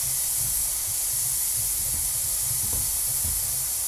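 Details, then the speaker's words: Pressure canner processing beef pot roast, venting steam about 10 minutes before the pressure regulator goes on: steady, even hiss with no sputter or surge; normal venting. "all right it's been venting for about 10 minutes which is the necessary amount of time for the instructions"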